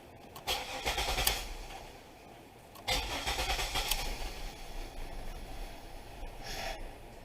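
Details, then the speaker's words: 2000 Pontiac Bonneville with intermittent stalling, all connectors attached: tapping the ignition switch with a screwdriver makes the engine surge and flutter in uneven bursts, sagging until it nearly dies; faulty ignition switch cutting power (crank sensor replacement hadn't fixed it). "if I take a screwdriver or something just tap it right here see the car died on me and it was starting to do that fluttering like it does"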